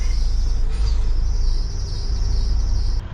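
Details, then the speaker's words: Diesel box truck (converted refrigerated truck), squealing since start: steady high thin squeal over the rumble for about three seconds then cuts out, lessening after running a while and worse with throttle; no fault codes, source unknown; intermittent squeal. "这多打了一会儿，这个机器好像没刚刚响的厉害了。你看，它现在又没有响了。一会儿响，一会儿它过一会儿又响，不知道是哪里的问题。"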